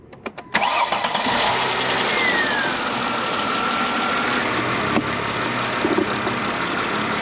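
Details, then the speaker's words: 2003 Mercedes-Benz E320 W211, 140,000 miles, well maintained: brief crank, catches at once and settles into a smooth, even idle with slight vibration the owner believes is normal; healthy start. "it's pretty smooth. Got a little bit of vibration, but I think this is normal vibration for this engine."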